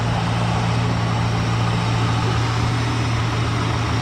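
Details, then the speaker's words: 1974 Ford Country Squire wagon, warm V8 idle with good oil pressure: faint, uneven light knock that almost sounds like the bottom end but seems to come from the front belt drive, cause unsure; it had earlier shown a hard oil pressure light. "kind of sounds it almost sounds bottom end but it's not something in this front belt i'm not sure what it is but it ain't hurting nothing"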